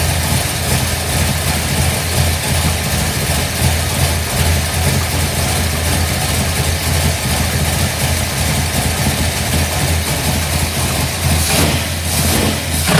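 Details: 1955 Bel Air, newly installed 572 big block (860hp), hydraulic roller, new headers, 40 series Flowmasters exhausting at rear: first run, deep steady even burble, initial top-end tapping ceased; ECU learning; normal idle.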